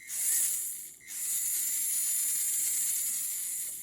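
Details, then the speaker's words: Mini-Z MA-020 SP chassis conversion with new motor and ceramic bearings, gear mesh test: steady, even high whine from motor and gears spinning freely, no binding or grinding; perfect gear mesh. "not binding or anything it's perfect perfect perfect gear mesh"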